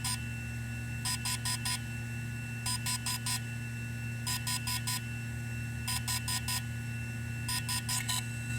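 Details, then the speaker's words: DJI Phantom 3/Inspire 1 firmware update from microSD card at power-on: sets of four quick high beeps about every second and a half over a steady hum. Update in progress; a solid tone would mean failure. "once the card is inserted and you power on the Drone the update process will start automatically and you'll hear a series of beeps letting you know that the Drone update is working"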